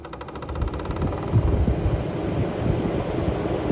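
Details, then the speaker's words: 1989 Corvette C4 TPI L98, main radiator fan running after rewiring: steady fast clicking, about three per second, over the fan whir. Nothing visibly touching the fan. Owner suspects the fan motor and plans to replace it. "and I don't know what the clicking is it's probably going to get a new I don't see where it's actually touching anything uh the actual fan itself so maybe the motor so we're probably going to replace that motor on that one"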